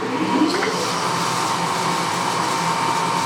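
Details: Clausing 20-inch drill press, two-speed three-phase motor restarted in low range at its top setting of 1,000 rpm: steady, even motor hum and smooth whir with no knocks or rattles; running cleanly.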